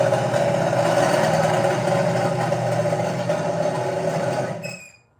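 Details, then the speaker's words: Project Mustang V8 recording before it squeaked and halted and then would not turn over: lumpy, uneven beat with a ragged rhythm, sounding like a miss, then it sags and dies abruptly; owner suspected timing but is unsure. "Sounds like it's missing. Well, and that's what I thought. I thought it was just a timing problem, but I don't know."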